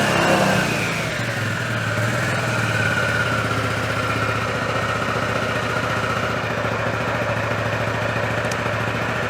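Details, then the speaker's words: 2003 Honda Metropolitan 2 moped, previously non-running, after throttle cable slack adjustment: after a rev the pitch sinks slowly over a couple of seconds before settling into a steady putter. Slow return to idle, cause suspected, not confirmed. "It's kind of didn't really return to idle as fast as I'd like."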